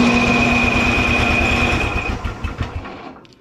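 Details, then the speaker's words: Simplicity snowblower, Briggs & Stratton 12 hp Intek OHV single, spark present but won't start, only about 60 psi compression: starter spins it quickly and evenly with faint compression pulses, then it coasts down; low compression, later traced to the rocker assembly. "you can get it up to 60 when you crank her over by hand but still not enough to get anything going"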